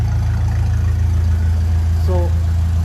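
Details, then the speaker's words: 1957 Ferguson 35 TVO tractor at cold start after a pushrod problem was fixed: steady, even low thump at about 3.5 beats a second, no tapping or misses; idling cleanly and healthily. "this is cold start last video was about getting that problem with the push rod sorted so it really does sound good it really sounds good in there"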